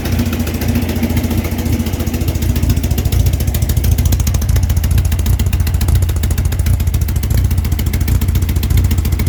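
Motorcycle engine idling then revving, with a light rapid ticking riding over the exhaust beat that quickens with revs; source of the tick unclear.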